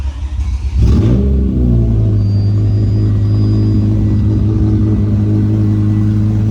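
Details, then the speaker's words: BMW M5 E60 on its first start after the engine was reinstalled: it catches after a short crank and settles into a steady, even idle with a deep smooth hum, no knocks or ticks, running better than ever. "the car is running actually better than ever you have no strange noises no strange sounds it's just running smoothly at idle right now"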